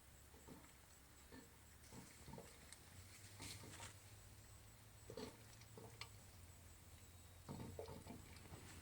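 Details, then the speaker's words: Pressure canner cooling down after canning chili, weight still on, gauge almost but not quite at zero. Quiet room with scattered soft ticks and faint rattles every second or so as the weight barely stirs; residual pressure remains. "it's the can are cooling down still we're almost to zero but not quite there yet and that's the sand the counter makes when it's still and it still has pressure in it"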